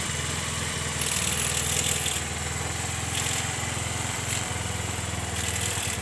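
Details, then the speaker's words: Honda Vario Techno carburetted scooter after cleaning the oil-flooded carburettor and refilling oil to the correct level, still cold: steady idle with throttle blips, running normally again; faint ticking still to check, exhaust smoke expected to clear once warm. "ini sudah jelas, motornya sudah hidup, sudah normal lagi."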